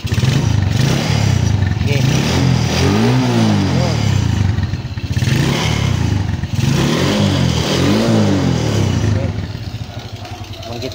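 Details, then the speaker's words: Suzuki Raider J110 carb-type bike after a valve clearance check and carb tuning: clean rises and falls in revs with a steady, even exhaust note and no knocks or misses. It pulls up smoothly, with slight smoke noted. "So far so good na siya mga idol. Ayan goods na siya uli."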